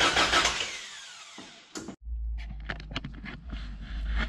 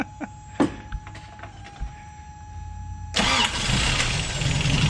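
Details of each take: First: 1988 Toyota 22RE after head and valve train replacement, first start attempt: the starter turns the engine over steadily but it never catches or fires; not getting fuel. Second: 1988 Toyota 22RE (fuel-injected), warm, after head replacement, timing and valve lash checked: cranks, catches fast and settles into a smooth, steady idle with no misfire. Timing now reset to 5° BTDC; normal start and idle.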